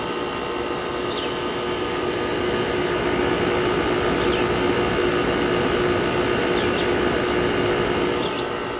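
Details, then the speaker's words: 2001 General Electric Quiet Aire air conditioner with LG Hero compressor, after about five minutes running following fan bearing replacement: steady even hum with soft airy rush, no knocking or scraping; much quieter, running smoothly. "yeah it's much quieter i figured it would quiet down it wasn't that noisy when i first started this"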